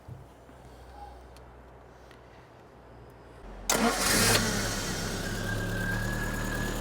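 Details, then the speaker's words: 1975 MG Midget 1500 with starting trouble: long quiet stretch, then sudden catch and lumpy idle; fuel reaches the float bowls but spark is weak; cause not yet confirmed. "if you can hear it is the spark however it's not very good it is sparking but it's not good we're not getting a very powerful spark and the Spark's too weak"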